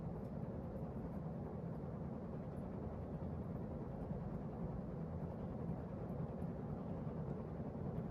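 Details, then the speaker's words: Emerson Heat Fan ceiling fan on high after bearing replacement: steady, even low hum with no grinding, ticking or rumble, no bearing noise; it wouldn't start on low and spun down quickly when switched off; normal running. "No signs of any bearing noise."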